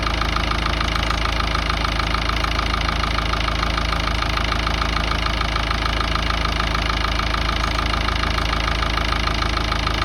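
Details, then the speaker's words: Ford Ranger 3.0 Power Stroke diesel idling with a steady, sharp knock about three times a second; intermittent engine knock appearing when steering hard or parking, then stopping, source unknown. "tenía ese golpeteo en el motor que no sabía de dónde venía y me lo hacía a veces, solamente cuando doblaba mucho la dirección o estacionaba, lo hacía regulando y después solamente lo dejaba de hacer."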